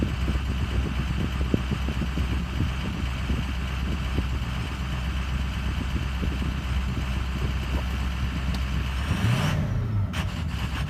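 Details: Ford Excursion 6.0 diesel idling with a low, uneven beat and a brief stumble near the end. The rough idle is intermittent and occasionally settles back to normal.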